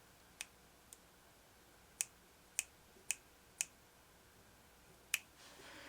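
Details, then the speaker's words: McCulloch Pro Mac 55 chainsaw, Walbro SDC-58A carburetor off the saw with moisture and dried fuel inside: dry, sharp crackles, about seven uneven snaps, from a stiff, hardened diaphragm that should be replaced. "If your diaphragm makes noises like that, do yourself a favor and replace it. You will not be happy with the performance that those have hardened."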